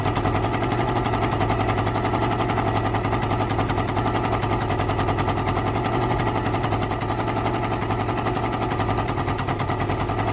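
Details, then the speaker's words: Suzuki ZL600 Eliminator twin after carb work, no choke: lumpy idle with a sharp ticking puff on each firing pulse; an air leak found at the exhaust pipes, exhaust leak at a header joint. "What I need to look at is the pipes. Are there any air leaks, any gaps? Any air coming out anywhere?"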